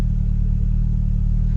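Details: Mk3 Vauxhall Cavalier SRi cold start after sitting a couple of months: deep, even low rumble with steady firing and no knocks or misses, settling into a smooth idle; voltage good, oil pressure a little low.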